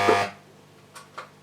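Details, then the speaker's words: Mesa Boogie Triple Rectifier Solo head (about 2004): loud buzzy burst fading over a quarter second, then two sharp pops on channel switching; intermittent channel pop and floor-pedal switching fault, cause not found. "see there lies the fault so let's just sum up i've got the first problem where you get the click or the pop pop it goes"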